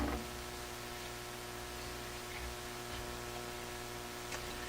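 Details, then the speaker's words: Hammarlund SP-600 communications receiver under repair: steady low hum with a buzzy edge under faint static in the audio output; source not pinned down, owner suspects another failed capacitor. "Oh, that's different. That's got a hum."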